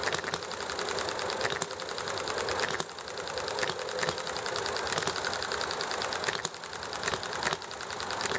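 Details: Enjomor hit-and-miss engine running nicely, with highway traffic and chatting in the background: rapid light ticking broken by a sharp firing pop about every second as it coasts and refires cleanly; normal hit-and-miss running.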